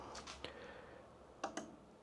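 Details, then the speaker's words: NOCO GB150 Boost Pro 3000A jump starter hooked via alligator clamps to side-post battery at 10.2 V, switched on: a few sharp, dry clicks, its normal relay action. "As you can see, now when we turn it on, watch what happens. Turn to 11 115 volts. So, that should be enough. You can hear it clicking."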